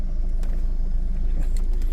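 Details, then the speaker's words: 2018 VW Polo, first start after a board repair with jumper wires fixed lost ECM communication and no-start after battery replacement. Lumpy low rumble with faint irregular rattles; rough running, owner suspects a chain problem. "Oh, it sounds horrible. It sounds like chain problem, and it's running rough"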